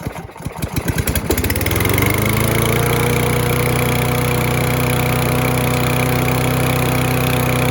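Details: Free Husqvarna mower, throttle cable missing, after fuel was poured into the spark plug hole: ragged pulling, then it catches into a steady, fast, slightly high idle with no misses. Debris blew out; owner thinks the clog may have cleared. High idle.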